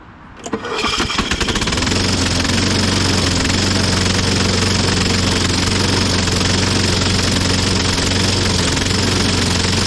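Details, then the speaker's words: 1998 Ariens 21-inch self-propelled mower (model 911080, engine VLV60) runs at steady speed with a harsh scraping rasp over the firing, apparently from under the engine cover. Scratch marks on the flywheel counterweight; something on the flywheel may be hitting something. "I wonder if there's something on the flywheel that's hitting something"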